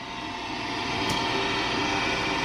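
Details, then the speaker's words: LG WM3488HS washer/dryer combo in drying cycle, noise from upper back corner: constant harsh rushing roar with steady whine, no knock; owner suspects fan motor, fears water pump; hot-air circulator fan motor bearings worn. "I think it's a fan motor. Turn that off. I think it's a fan motor. I hope it's not like a water pump or something."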